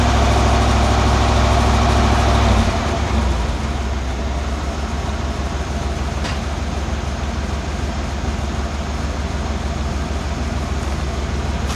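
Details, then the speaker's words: 1991 Cadillac Brougham V8 after replacing the exhaust from the catalytic converter back with a new resonator and Walker Quiet-Flow SS muffler to cure a drone at about 59 mph. Revving off idle gives a deep, even rumble with no throbbing drone. "that sounded better from within the car didn't hear those annoying beats"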